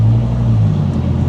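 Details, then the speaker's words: Dodge Viper with new GCC triple-disc clutch kit, first real drive, pulling away in first gear: deep steady engine rumble, smooth engagement with no chatter or judder; fresh flywheel and friction surfaces audible. "can kind of hear the, no real noise or chatter or anything. I can actually hear the fresh flywheel and friction surfaces. And it has that fresh brake pad kind of a sound to it. Very smooth."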